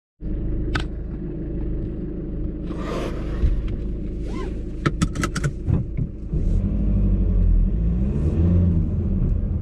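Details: VW Golf Alltrack at low speed, windows closed, radio and A/C off: low road rumble inside with short sharp rattling clicks from the passenger-side suspension over bumps, especially zebra crossings and left turns.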